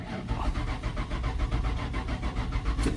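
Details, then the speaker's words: 1996 Ford F-150 (title says F250), crank no start with code P0320: steady even cranking for three seconds with no firing; the scope shows no PIP signal from the distributor Hall effect sensor, so it needs a distributor assembly. "Basically, that's just the distributor not sending anything out."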